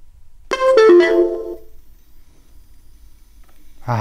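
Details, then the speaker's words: InMotion V11 electric unicycle, after failing to turn on and being fixed: a short run of clear piano-like startup notes that then fades; powers up and boots normally, working again. "hear that beautiful the v11 is working again"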